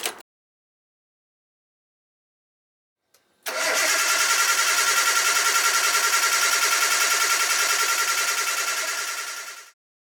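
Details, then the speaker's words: Salvage Nissan R34 with a donor front clip, engine and wiring swapped in, first start attempt: even cranking, about 3.5 beats a second, for six seconds without firing; cluster on but no fuel pump prime heard. "There's some noises there. I didn't hear anything about the fuel pump priming, so it's not exactly a good sign"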